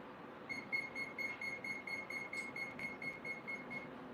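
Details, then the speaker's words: 3D-printed fan engine system, not strapped down: steady train of short high-pitched beeps, about two a second, with no motor running; speed controller asking for recalibration. "Hold on. It wants me to recalibrate."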